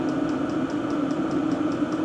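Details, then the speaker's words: Diesel parking heater (Standheizung) with its stock exhaust, measured about 73 dB right beside it: steady, loud combustion roar with a faint regular pulsing; loud heater exhaust through the standard muffler. "Ihr seht hier im Moment an der Heizung den Standardauspuff, der ist relativ laut."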